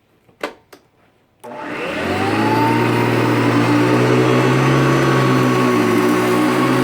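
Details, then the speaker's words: Hoover Decade 80 vintage upright vacuum on power surge setting, one pass forward and back over a dirt pile: motor starts with a thump and settles into a steady, higher-pitched hum; bogs down less than on regular setting, running normally. "So now we're going to do 1 pass forward, 1 pass back on the other pile of dirt using the power surge feature. You'll be able to hear it because the pitch of the machine goes up."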